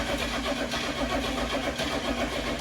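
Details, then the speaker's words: 1977 Ford F150 4x4 with 4-speed manual, first start after electrical repairs and a brand-new fuel pump: steady rhythmic cranking churn with no catch or firing, because fuel has not yet reached the engine; crank, no start. "fuel pumps brand new so it's going to take a little bit to get fuel up to it"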